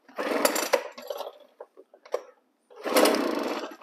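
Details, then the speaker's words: Two-stroke handheld engine, fuel visible in the primer bulb, on full choke: two rasping rope pulls with a single short pop between them. The first fire is the cue to take it off choke and keep pulling until it runs. "okay it went that's all you need to know don't put it's not going cranky anymore now pull it off choke and then crank it until it's running"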